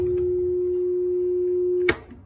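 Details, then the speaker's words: Maytag Centennial direct-drive washer with a no-spin, no-drain condition and water left in the tub: steady low motor buzz for about two seconds with no tub spin, so the motor is stalled and the pump is suspect. Motor hum without spin. "I'm working on a Maytag Centennial direct drive washer with a no spin condition. You hear the motor buzzing, no spinning of the bucket."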